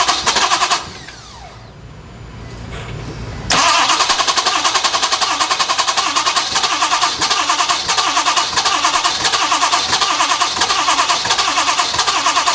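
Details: Ford F250 with 6.7 Powerstroke turbo diesel in a no-start condition: the starter turns the engine over at a steady rhythm for about nine seconds and it never catches or fires.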